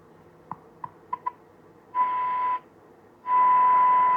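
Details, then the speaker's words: Wrong-schematic David Andersen Type 562 valve radio after replacement tube fixed the oscillator; faint tuning clicks, then a strong clean 8/12 MHz test tone comes in twice but at the wrong dial spot; reception otherwise weak; RF/front-end misaligned. "Yeah, this thing is misaligned."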